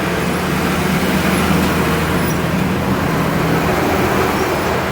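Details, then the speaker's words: Daewoo Air Bubble 4D 19 kg washing machine after transmission replacement for excessive spin noise: drain pump starts then spin cycle, steady even low motor hum with no knocking, rattling or grinding; noise gone. "encendió lo que es el la bomba de agua y ya empezó lo que ese centrifugado"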